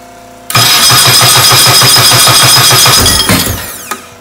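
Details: 1380cc Sprite/Midget race engine on a cold day, timing set about 12 degrees, starter just back from repair: quick even cranking, then the engine fires and catches cleanly. Starter now engages without jumping out; healthy start.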